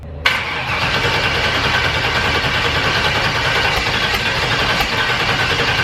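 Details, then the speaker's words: Turbo Firebird with a COPO cam, running on E85, at its first fire-up. It catches right away, then settles into an uneven, lumpy idle with a wandering beat. The tune is still far off, and this is the likely cause of the rough running. "it at least fires up now but yeah i had to it would sit there and idle but it would things are just weird but it does actually fire up"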